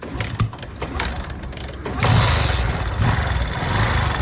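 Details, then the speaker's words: 125 cc motorcycle after adjusting loose tappets (valve clearance gap closed): the engine starts and settles into an even, steady putter with no top-end ticking; the loud noise is gone. "तो guys देख सकते हैं इसकी आवाज पूरी खत्म हो चुकी है।"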